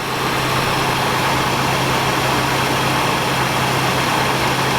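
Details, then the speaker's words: 1978 Oldsmobile Cutlass V6 with small two-barrel carburetor and HEI distributor, started after sitting since 2005; steady, even idle with smooth low hum, lifter tick quieted, no misses or knocks; earlier backfired through the carb, no accelerator pump, running lean. "running nice and it's hardly sucking any of that gas down hey it's a V6 after all good milesp gon right little tiny two barrel but I don't see any uh any major leaks right now it's running nice there just kicked down"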